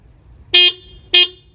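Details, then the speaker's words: 2021 Harley-Davidson Heritage stock horn: two short toots, each about a fifth of a second, with a thin, bright, high-pitched tone like a VW Beetle horn; works normally but sounds weak, and the owner later replaced it with a low-tone horn. "doesn't really go, does it? It sounds like a VW Beetle horn, Roadrunner horn. It doesn't belong on this bike."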